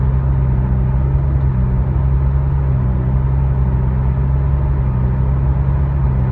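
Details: Nissan All New Livina CVT while cruising: steady low cabin rumble with an engine note rising and falling at constant road speed; idle is normal, with no sign of fuel pump or coil faults; CVT problem suspected, not confirmed.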